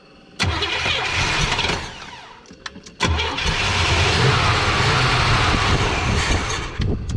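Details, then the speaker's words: 1979 Chevrolet Malibu sitting about 20 years, first start attempt; two long bursts of steady starter cranking that never catch; fuel starvation, fuel pump suspected not working, old clogged fuel filter found. "maybe out of gas keep cranking I don't think a fuel pump's working"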